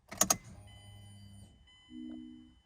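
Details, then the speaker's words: 2009-2013 Mazda 6 after fuel pump assembly replacement, key turned on without starting, fuse replaced: a couple of key clicks then a soft short electric hum about two seconds as fuel pressure builds; normal fuel pump priming, engine then runs. "so let's go ahead and turn the key here and you can kind of hear the fuel pressure building and that fuel pump running"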